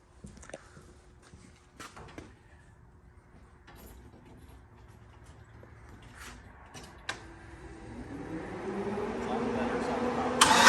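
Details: Truck engine pulling up with a clean rising note under hard acceleration after a bigger fuel pump was wired in and a loose fuel pump battery cable fixed; fuel pressure issue resolved, runs healthy.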